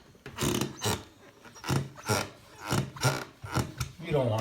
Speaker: my next step is to get rid of the squeaks because you can hear that